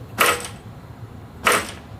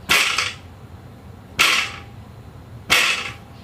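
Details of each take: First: New StreetStrider, joint #3 spacer: the frame is lifted and dropped with two brief, clean clacks and no loose rattle. Normal joint with no rattle. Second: here are two brand new identically red built units I'm going to show you the difference in the rattle of that little spacer in the in the joint number three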